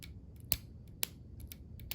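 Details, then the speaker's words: Seized Porsche 944 windshield wiper motor bench-tested on battery power before rebuild: sharp dry clicks about every half second, no motor hum or spinning. "Okay, I can hear the motor clicking, but it's not spinning. So that means it's seized up, it's broken, and we can fix it."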